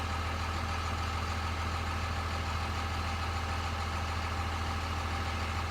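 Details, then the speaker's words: Cummins diesel truck running two-cycle oil in the fuel for injection pump lubrication, warmed up; even, steady diesel idle with a low rumble, no knocks or misses, measured 85 dB warm versus 87.5 dB cold; normal warm idle. "with the cold start up it was actually eighty seven point five decibels of max rating of eighty seven point five decibels warm we were 85 decibels"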